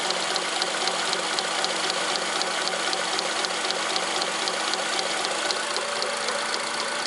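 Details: Honda Accord 7th gen, engine idling, under-hood knock first suspected from the power steering pump or valves: light, regular ticking about four times a second, traced to a half-year-old drive belt cut, cracked and worn through in one spot.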